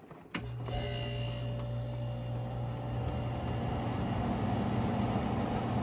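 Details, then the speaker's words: Early-1970s Sears Coldspot 6000 BTU window air conditioner made by Gibson, first run in years after cleaning. It switches on with a thump, then settles into an even low hum with steady fan rush, no rattles or grinding. Not loud; runs normally. "Yeah, that's not loud at all."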